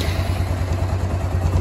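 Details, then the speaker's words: Kawasaki Bayou 250 ATV after carburetor replacement, old fuel still in it: fires right up into quick, even single-cylinder thumping at about ten beats a second with no misses; normal idle. "so fire's right up sounds good idle's awesome um"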